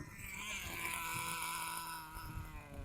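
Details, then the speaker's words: 18-year-old Thunder Tiger SST RC nitro engine after break-in and tuning; high buzzy revs that drop cleanly in pitch as throttle eases, no bogging or sputter, head warm not hot: perfect tune, normal running. "So when it comes in, it's high revs. When it listens to the drop, there it goes. Perfect tune. Perfect tune, that is."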